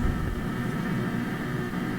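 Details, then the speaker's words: Philips Sonate BA581A tube radio on a better antenna, tuned across the band at full power: only steady hiss and low hum, no station anywhere; it receives nothing, cause unknown. "not a thing so I'm not sure what that's telling me"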